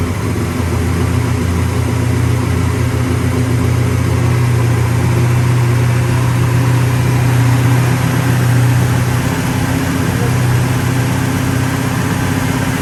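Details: 1966 Pontiac GTO convertible V8 after white-smoke repair on a new engine: deep, steady idle with an even lope, no miss, knock or tick; sounds healthy.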